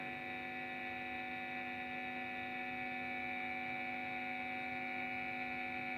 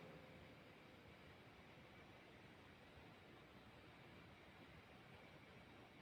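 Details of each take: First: Cheap guitar-effects power adapter, about 9.17 V output, connected to an effect: steady buzzing hum with bright overtones and no rhythm, noise leaking through from the adapter; pressing on it lessens the noise. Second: Guitar-effects power adaptor noise test with no external input, measured by smartphone dB meter at 19 dB minimum, 28 average, 33 maximum: only a faint steady hiss with no hum or buzz; a normal, quiet adaptor noise floor.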